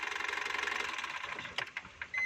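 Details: Foton engine with a knocking noise problem: fast, even, thin high-pitched metallic ticking with no deep rumble beneath it; cause unclear.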